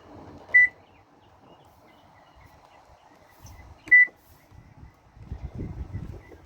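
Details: Whirlpool electric stove with a bake start button that doesn't work, back panel off and control board checked: two short clean high beeps a few seconds apart in a quiet room, so the other keys register normally; start key isn't pressing the board enough.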